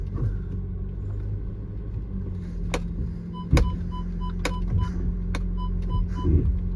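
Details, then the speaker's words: Audi Q5 with hard brake pedal: low rumbling pump buzz with sharp clicks and repeating chime as ABS activates; ABS and parking brake lights on, code for pressure sensor lower limit not reached, brake booster fault. "And there it is. All your lights come on for the ABS and the parking brake."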